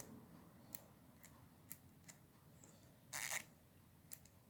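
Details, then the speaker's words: Snap-on FHX80A ratchet just after a bench rebuild: crisp, even clicks about one every half second as the handle swings, with the pawl engaging cleanly and working normally. "It seems to be working just fine. Let's work that around a little until everything starts sounding and working right. Now that's clicking."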